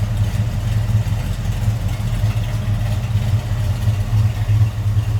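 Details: 1967 Chevrolet Camaro Convertible V8 idling at the rear: mild cam, steady even low rumble with slight lope, nothing crazy; healthy normal idle.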